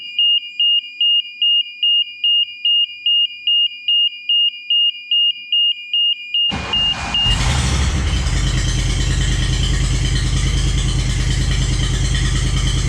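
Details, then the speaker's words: Walker lawnmower previously not running, after restoring power: fuel pump heard, steady beeps about twice a second, short crank, catches and settles into an even run with no misses; fired right up. "Woo, fired right up."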